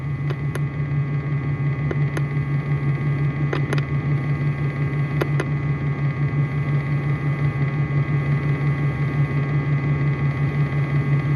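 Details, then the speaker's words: A 2004 Dodge Ram 5.7 Hemi V8 idles low with a steady, slightly lumpy pulse about three beats a second, a slight bank 1 misfire. The engine light is on with codes for O2 sensors, fuel system rich bank 1 and the EVAP vent solenoid. "I feel right now I'm not even see the shake I'm trying to hold this everything straight but it does have a little bit of a misfire at idle right now"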